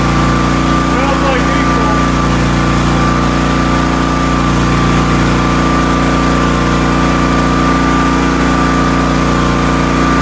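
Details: Marketplace Hotsy 16 hp gas steam pressure washer, after fixing the igniter contacts and wiring and getting the burner lit: steady, even engine drone with a constant pump whine, no misses or knocks; running normally, water boiling hot.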